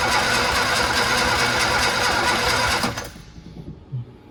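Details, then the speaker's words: Barn-find Sprite on twin carburetors, first start attempt with chokes held, fuel and spark present. Steady cranking at about 2.5 beats a second with no firing; owner suspects low compression and adds oil to the cylinders. "could smell it seems like it wants to go okay we have fuel and spark so the thing we're missing is compression"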